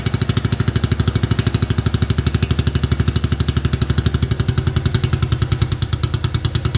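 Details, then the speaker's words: 1953 NSU Max single-cylinder motorcycle, run for the first time in 45 years: strong, steady thump about three beats a second with some loping unevenness, running on its own; tuning still needed. "First start in 45 years. We've got some tuning to do, and I need to put the harness and whatnot together, but this is good. It shows that it runs."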